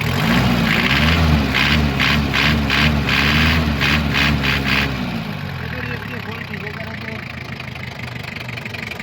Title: Easy way to eliminate diesel engine knocking - Toyota 2l engine - Toyota hilux engine